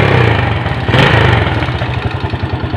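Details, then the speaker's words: VKZR motorcycle engine after fitting original rings, a new cam chain and a new seal, plus resurfacing: a steady, even idle with the model's characteristic light ticking and no smoke. The earlier problem came from incorrect installation. "Terus rantai kanteng kita ganti, seal clamp kita ganti, kita sekir, jadi seperti ini, sudah tidak ngasep, aman."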